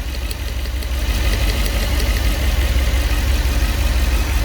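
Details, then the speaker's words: 2008 Mercedes S63 V8, 150k km, idling during coil check; number 5 coil to be replaced with a used one; lumpy uneven idle with low rumble, about three pulses per second, suspected cylinder misfire, not confirmed. Rough idle misfire. "like the number 5 is alive. 6. A little bit more active, the number 6. 7. Yeah. 8. Alright. When you finish from there, bring me one used ignition coil from up to replace the number 5."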